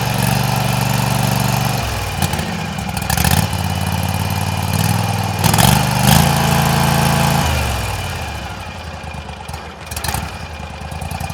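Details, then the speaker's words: Cold start and idle of a tractor's 16 hp Briggs & Stratton Vanguard V-twin: steady low rumble settling into an even idle with no knocks or misses, smooth "like butter"; normal healthy running. "So let's fire it up. We hear it run. This is a 16 horse Briggs Vanguard. Like butter."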